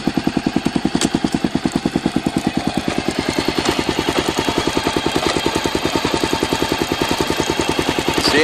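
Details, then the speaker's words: Honda XR650L single-cylinder motorcycle thumping evenly in first gear with no knocks. It runs normally in first but starts clunking when shifted into second. "pretty normal in first"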